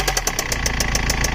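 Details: 2006 BMW E91 320d, M47TU2D20 diesel, at idle: sharp even knocking about seven times a second from inside the engine. An earlier squeaking noise changed to this knock. Cause not yet found.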